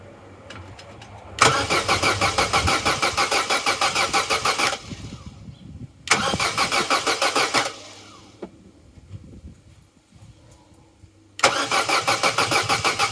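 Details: Vauxhall Corsa B that sat neglected 4-5 years, cranking after fitting a new battery: three strong, even, brisk cranking bursts of a few seconds each, never fires. Cranks but no start.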